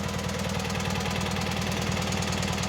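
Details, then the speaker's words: Cub Cadet 782 Kohler single-cylinder, warm after about an hour of heavy mowing load, following cleaning of fuel-system debris that caused flooding: a steady, even thump with no misses or knocks. Warm oil pressure drops to about 10 psi at idle; a normal warm idle. "today we're just going to put it to work and I'm going to set you up in the stand and let you watch it work go and fire it up Run's great"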